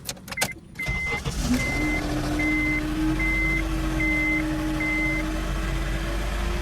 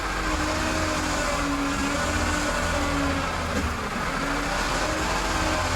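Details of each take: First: 2002–2006 Honda CR-V sat for years, started after a week: over idle with door chimes, a steady mid-pitched power steering pump whine with little assist; caused by failed reservoir, fluid already changed. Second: Honda CR-V whose power steering stopped working after sitting several years, after a fluid swap, wheels on the ground: engine hum with a low pump drone rising and falling as the wheel turns, no groan or squeal; healthy.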